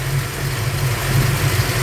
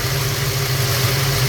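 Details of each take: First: Ford Falcon 302 V8 at idle running rich: after leaning each carburettor mixture screw a quarter turn clockwise the low steady idle rises and smooths; idle speed increases after mixture adjustment. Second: Ford Falcon with 302 small-block V8 carburetor idle mixture screws turned a quarter turn on each side, rpm rising and engine much happier; smooth, even idle with steady low hum and no misses or hunting, running cleanly.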